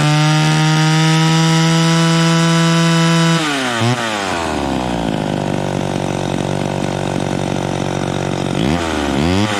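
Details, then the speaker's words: Vintage chainsaw at full throttle, no load, high-speed screw turned in: clean steady high scream with no four-stroking blubber; too lean, should be backed off until it slightly burbles. "so did you hear that so we turned it in until it was singing super smooth with no blubbering but that's too that's too lean you want to back it off a little bit to where it starts a little bit on the high end because that means that it's right"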